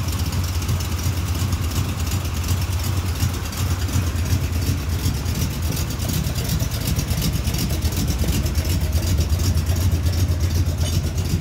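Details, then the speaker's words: 1971 Chevy C10 cammed 350 small-block V8 with long-tube headers, idling after startup: deep lumpy idle with a light regular tapping from the exhaust rattling underneath, not an engine or rod knock. "So before anybody says that little tapping noise is the exhaust, it's kind of rattling down there. It's not an engine, not the rod knocking or nothing."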